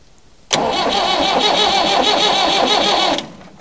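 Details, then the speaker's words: Massey Ferguson 178 engine on an old cane haul-out tractor, sat for years, cranked via jumpered starter solenoid: steady cranking without firing, slightly lopsided beat; one cylinder down on compression, suspected sticky valve or rusted valve seat. "down on compression will bit on one cylinder but that doesn't matter it be just a sticky valve or rusted valve seat"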